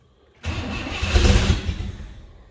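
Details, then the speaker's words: 1964 Chevrolet Bel Air six-cylinder, long-struggling revival, started with a shot of fuel: brief crank, then fires cleanly and rumbles up smoothly before easing toward idle; good starter, starts and runs healthy. "I mean the odds were in his favor I'll give him that but let's see that's a good starter guys"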